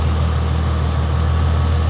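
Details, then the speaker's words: 2004 Ford Mustang V6 with aftermarket hood and parts: low, even hum with no misses, knocks or ticks, and a steady rhythm throughout; a smooth, healthy idle. "But look how steady the engine is."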